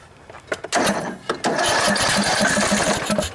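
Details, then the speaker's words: Cub Cadet LT1018 hydrostatic mower, 18.5 hp Briggs & Stratton Intek OHV single, sat about a year, new battery, on starting fluid: cranking chuffs, then fires and runs raggedly about two seconds before dying; plugged carburetor main jet. "all it'll do no matter how much starting fluid I spray in there it just won't just won't stay right so anyways I'm pretty sure we're dealing with a carburetor problem here"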